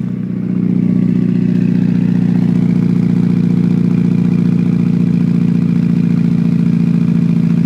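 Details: Modified Mitsubishi Evo (bolt-ons, Walbro 255, 1200cc injectors) at cold start, 39°F: the idle stumbles unevenly, three to four lumpy beats a second, throwing a check engine light with code misfire cylinder 1; it starts fine after warming and sitting.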